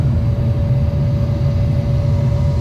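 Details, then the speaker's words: 30-year-old Goodman package unit after replacing rusted-out burners and earlier igniter/pilot assembly: steady even low roar with faint constant hum, no surging or popping; burners firing cleanly. "And that looks a whole lot better and sounds a whole lot better. This 30-year-old Goodman just keeps fighting and chugging along."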